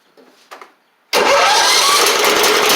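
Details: John Deere L110 riding mower engine, after fitting a fuel pump with a longer arm to cure flooding, catches cleanly after a brief pause and settles into a steady, even run without misses; the fuel pump was the issue.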